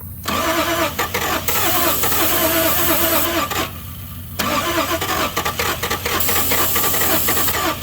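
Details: Toyota Supra 7M after sitting since 1995, fuel pump unhooked after blown fuse: long uneven cranking with a few stronger chuffs like it's about to fire, but never picks up and runs.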